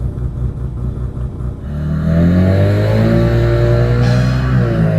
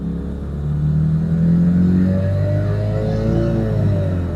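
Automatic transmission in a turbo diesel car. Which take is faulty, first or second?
second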